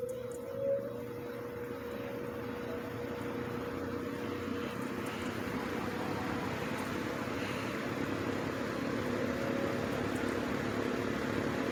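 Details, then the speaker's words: 1950s Wizard reversible box fan on low speed after cleaning and oiling the bearings. The motor runs cooler than before and spin-down is fine. Soft, steady whoosh with a faint hum. Running normally. "okay now we're gonna fire it up on the reversible this time so let's start it off on low speed this time around"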